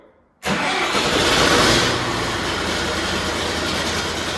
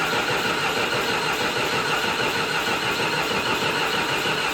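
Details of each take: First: John Deere 450C bulldozer diesel, in neutral, after reseating a pushed-back spade in a connector: quick crank catches straight away, revs up and settles into steady idle; normal start. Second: John Deere 450C bulldozer diesel, sat six months, neutral safety switch jumped: steady starter cranking at about 150 turns a minute that never catches; crank no start.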